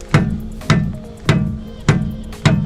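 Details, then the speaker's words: VW Golf MK4 estate 2.3 VR5, rubber mallet strikes on a control arm while chasing a noise after an upgraded stiffer dog bone mount: five firm, tight thuds, no rattle; arm sounds solid, no bushing play. "Sounds fairly solid."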